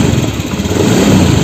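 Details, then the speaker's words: Honda Beat scooter that sputtered, stalled and was hard to start, after replacing the faulty spark plug cap: starts easily and revs cleanly without sputter or misfire; engine running normally. "ini sudah bisa dihidupkan dengan mudah ya teman-teman menjadi sudah normal"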